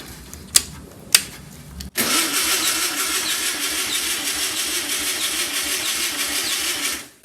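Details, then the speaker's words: 1964 VW Beetle engine sitting over 25 years: starter cranks steadily about five seconds but never fires; fuel pump not pumping so no fuel reaches carburettor. "Yeah. No fuel. Let's see if we can get some fuel down the carb."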